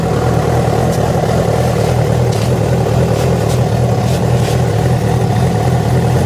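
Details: Yamaha FZ6 after riding ~70 km on two cylinders from a failed ignition coil connector: a steady heavy drone with irregular sharp ticks and rasps while revving; a strange engine noise of unknown cause.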